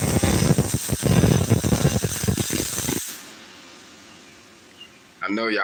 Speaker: that consistent sound that was money fam